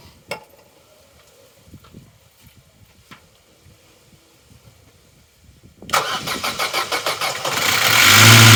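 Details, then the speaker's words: Vauxhall Corsa B left sitting 4–5 years, new battery at 12.1 V: after a quiet stretch the starter turns it over in quick, even beats but it won't run; spark confirmed, fault lies in fuelling. "that may not seem like much to some but that is significant we know the engine can run and we know the fault lies in the fueling"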